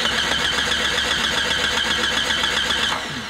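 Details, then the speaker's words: 1996 Jeep Grand Cherokee Laredo 4.0 L straight-six petrol, intermittent crank no start: steady even starter cranking, never fires; test light shows no spark at coil, fuel pump likely not running, PCM suspected, crank/cam sensor signals next. "you can see very clear we don't have spark so we probably don't have the pump running as well"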